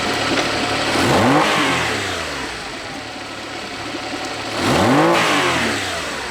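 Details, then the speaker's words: Honda BF40 outboard on a 14 ft boat, limited to about 25 mph: motor rises with throttle but pitch sags and struggles instead of climbing; lean bog under load from fuel starvation, later fixed by cleaning carb jets and replacing small o-rings. "in this particular segment you can clearly see how it's really barging down as s"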